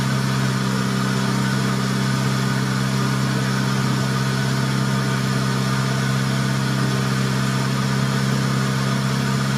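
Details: 1990 Honda Civic B20B, warmed up after fitting Crower cams and Skunk2 cam gears: low, lumpy idle with uneven chop and faint steady rub over the exhaust; cam gear bolts touching the valve cover, which also leaks oil.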